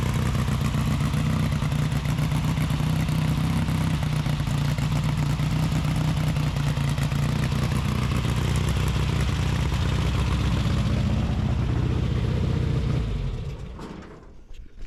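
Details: 1835cc rally engine with a Fuel link ECU, after oil-leak repair with new O-rings. Catches quickly and settles into a steady, even idle with a smooth low beat and no knocks before shutting off; healthy, no leaks.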